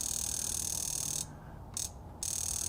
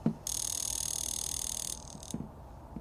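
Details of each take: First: Range Rover high-pressure fuel injector on a pulse tester at setting 4, constant pulse: fast, even high-pitched ticking with a brief pause, actuating cleanly; normal injector clicking, healthy. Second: Range Rover high-pressure fuel injector (likely number 8) on a pulse tester at constant pulse: a few sharp, uneven clicks, then it stops firing though the tester still signals; valve inside suspected sticking; intermittent injector clicking.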